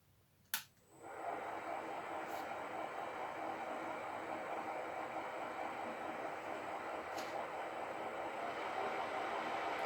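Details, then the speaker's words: Bridgeport mill's 1 HP 3-phase motor, cleaned with new bearings and now run from a VFD control panel: it spins up quickly to a steady, quiet hum with a faint high electronic whine and no rough bearing noise. Normal motor run. "New motor sounds good."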